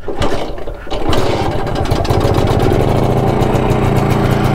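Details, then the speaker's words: BSA D7 Bantam two-stroke under restoration, new spark plug, first start, kickstarted on choke when cold: catches and settles into an uneven, lumpy beat, running roughly. "It started. It runs. Not very well, admittedly, but it runs."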